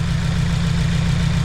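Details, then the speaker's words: 2016 Subaru WRX back running after a no-start, MAF sensor plugged in: nice, smooth, steady idle with no hiss, stumble or miss. Owner suspects turbo seals as the smoke source and may fit a sump restrictor. Normal idle. "But yeah, nice smooth idle and no suction"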